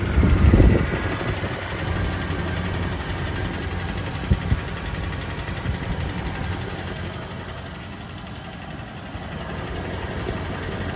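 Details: Lexus GX470 V8 idling after hydrolock from driving into water, plugs pulled and oil changed to flush water, no check engine light: light quick tick over steady rumble, engine ticking at idle.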